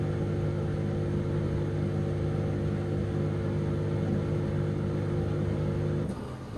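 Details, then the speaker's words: Dishwasher idle over two years, first cycle emptying leftover water from the tank; steady low hum of the small pump running evenly with no knocks or grinding, then cutting off; drain pump works normally, while the wash later fails to happen. "cuando lo he puesto en marcha y podido observar que inicia el proceso correctamente el primer ciclo que debe de hacer es vaciar todo el agua que pueda quedar dentro del tanque"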